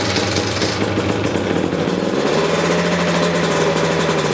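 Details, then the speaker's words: 2019 KTM 250 EXC TPI two-stroke with RK TEK head, just over 50 hours: smooth, even drone held at steady throttle, with no misses or surging. This is the normal healthy sound, in contrast to the erratic steady-throttle running of faulty TPIs. "so if your bike is running okay this is what it should sound like it's steady throttle"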